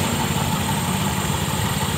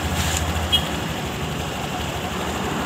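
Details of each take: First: 2021 Honda Scoopy after replacing variator and rollers in the CVT: even, steady low idle hum with no knocks, rattles or slipping noises; drive idles smoothly and healthy. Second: Honda Scoopy scooter at idle before CVT work, owner complained of rough noise from CVT case: steady coarse, gritty rumble from belt case; roller noise heard, clutch bell (fambel) not the source.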